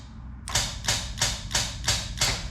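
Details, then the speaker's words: 2JZ car with a newly installed Smooth Stage bump box, trans brake button pressed: crisp, evenly spaced clicks about three per second; trans brake solenoid pulsing normally, rate adjustable. "So when you push the button, the trans brake button, and then you can hear it clicking."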